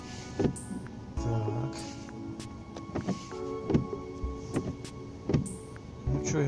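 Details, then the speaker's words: Renault Megane 2 windshield wiper on dry glass after bending the arms: strokes about every second with light rubbing, no harsh chatter; squeak gone. "Короче, шум пропал, все, вот, как хотите."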